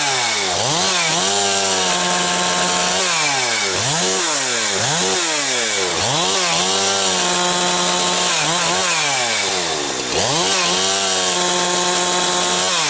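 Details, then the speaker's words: Husqvarna 362XP Special chainsaw cutting firewood with wrong ignition coil fitted by previous owner: idles fine but under cut bogs, blubbers and gargles, revs climbing then falling back; not a carburetion issue, won't rev like a 365; coil rev limiter prevents full revs. "YEAH, that is very frustrating to uh have something that's uh bobbling around and gargling like that."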